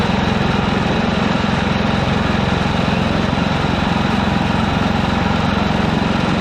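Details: Ditch Witch C99 trencher with a Wisconsin engine, first run after sitting, on a fresh 30-weight oil fill: a steady, even low single-cylinder thrum with a regular beat and no misses, knocks or hunting. It runs great and smooth.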